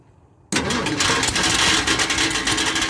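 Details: 1976 Ford F250 crew cab parked 17 years, gas poured in, weak battery: it bursts into life loud but uneven, a lumpy beat around three per second. Rough running; fuel delivery suspected. Cause not confirmed.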